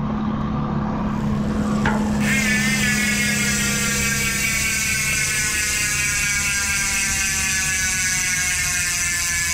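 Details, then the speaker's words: Maxxis Stroke 1.0 MTB rear hub (sealed bearings, 3-pawl) on 27.5 Toseek Spear bike, wheel coasting in freewheel: rapid, even ticking slowing in pitch and rate; normal pawl sound. "Yan guys, yan yung tunog ng Maxxis Stroke MTB 1.0."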